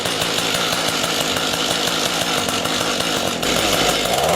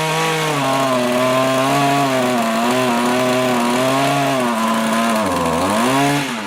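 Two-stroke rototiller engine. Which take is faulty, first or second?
first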